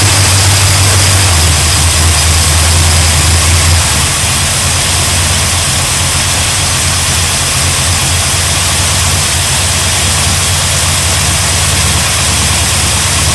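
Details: 1972 GMC Sierra Grande, replacement V8 first start after 9 years sitting, oil and fuel primed, new gas tank, carburetor with electric choke; rough first catch settling into steady even idle, no knocks or misses; normal running.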